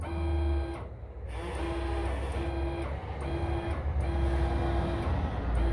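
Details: Small actuator motor in a Bluetooth-controlled electrical setup gives a steady mid-pitched hum in short even runs with pauses, driving smoothly with no grinding. The battery may need charging and the connection keeps dropping.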